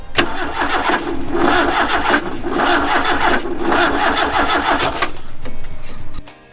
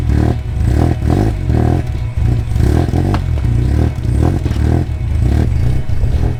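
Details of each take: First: Fire-damaged car being restarted on an ECU: steady cranking whirr with even pulses for about five seconds, never catches; trigger-wheel voltage threshold set too high so ECU wasn't reading triggers. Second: Fire-damaged car running on an ECU with an online base map being tweaked: rough, loud low rumble pulsing about twice a second but holding steady without stalling; running well.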